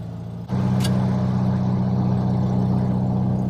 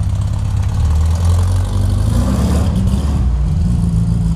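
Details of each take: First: 1967 VW Beetle after an intake manifold, carburettor, distributor and valve adjustment, idled a while: it catches at once and holds a smooth, steady hum, taking throttle with no stumble or popping. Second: 1967 VW Beetle after swapping intake manifold, carburetor and distributor, first drive: low flat-four rumble with scattered pops and stumble on throttle; owner suspects lean running or valves.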